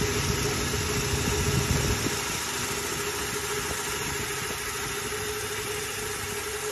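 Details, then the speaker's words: Toyota Hilux 3RZ-FE 2.7 L petrol during idle-screw adjustment, with idle turned down too low. Slow, uneven, loping and shaky idle, engine shaking and feeling ready to die: idle speed set too low. "I'm gonna idle it up just to show you that it shakes you could hear the motors like it's the titles way too low and it's shaking too it's starting to shake a little bit"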